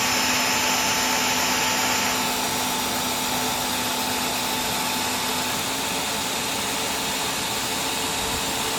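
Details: Simplicity Symmetry upright vacuum after brush cleaning and reseating the lifetime belt and linkage: steady high motor whine and even hum, brush roll spinning freely with no load, no slapping or grinding. It is working perfectly.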